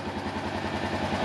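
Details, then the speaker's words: Honda XR650L single-cylinder, after replacing the CDI box, which had left it cranking but not starting: a steady, even thump at a fast idle with no misses or clatter. Running normally, like new. "so she's running like a brand new 650 l"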